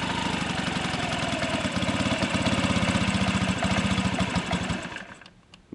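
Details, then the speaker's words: Honda Ruckus scooter, sat for years, clogged carb, fuel drained, idle now backed off from a high setting: small single putters at a low, fairly even idle, then shuts off. "Tell it's going to burn a lot better than it was before, because I can back off the idle now, like I had it all jacked up"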